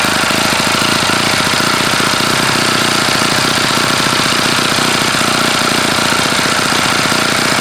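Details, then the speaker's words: OS FS-48 Surpass model four-stroke, still warm, running after a crankcase repair on a Xoar 12x6 prop, S&W 5% fuel and an OS F plug, only the high-speed needle adjusted. Fast high buzz with a rough rattle; bad bearings, though it runs well. "it clearly has bad bearings but it does run and it runs pretty well"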